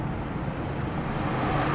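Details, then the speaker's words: Kia at an insurance auction, 79,000 miles, on a booster pack with suspected dead alternator and battery light on: steady even low idle hum with no knocks or misses; normal idle. "Give her a little rev. I mean, the engine sounds healthy."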